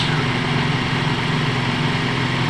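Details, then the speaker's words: Toyota Vios G (2005, 1.5), idle-surge fault: at 96 °C with the radiator fan running, idle holds at about 600 rpm, a low even hum with the fan rushing behind it and no dips; idle stable. "dan sekarang ini derajatnya 96 derajat kipas aktif normal ya di 600"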